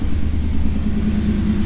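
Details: 1991 Pontiac Firebird Trans Am V8 after a new water pump and battery: a low, even idle rumble, steady with no stumbles. It is holding charge and not overheating before a test drive. Normal idle.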